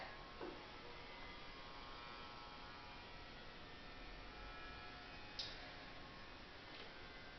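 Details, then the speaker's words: Parabolic heater with heating coils wrapped around a cone gives a steady electrical buzz with a faint hum for about 20 seconds at switch-on while warming up, then goes silent; this is normal. "So you'll hear a buzzing. It buzzes for about 20 seconds when you first turn it on, and that's just to kind of let you know that it's warming up."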